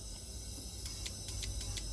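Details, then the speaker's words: LPG taxi that stalled while driving, rail pressure dropping fast; injector connector moved cylinder by cylinder and energized. Cylinder 1 gives crisp, evenly spaced clicks about five a second with a faint hiss. Normal injector operation. "It makes a sound every time I put electricity in, right? There's a sound. This is normal"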